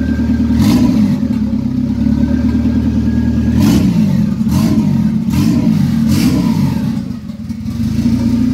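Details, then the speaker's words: 1997 Honda Civic EK hatch with turbo B18B1 swap and built bottom end, after fixing its idle air control valve issues; engine catches and holds a steady idle with a few throttle blips, no stalling; normal idle. "See if it idles. Yes! There it goes. There it is."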